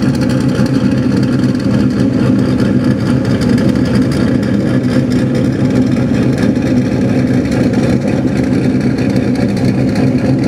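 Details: Steady, even idle hum with no puffing or ticking at the exhaust joints. The exhaust had been refitted after the fuel lines were replaced with PTFE-lined hoses, and the joint leaks were sealed with exhaust sealant; a strand-tipped swab leak check shows it sealed and running normally.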